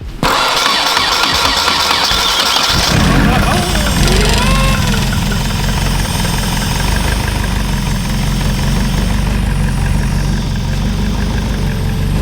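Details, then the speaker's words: Nissan S14 after a KA engine swap, first start following the final fluid fill. Brief crank, quick catch, steady even idle described as a little low; timing was adjusted. Normal start and idle. "Local KA connoisseur, yeah, it sounds good. It is idling a little low. KAs, like, I love them, but they just sound a little rattly, always."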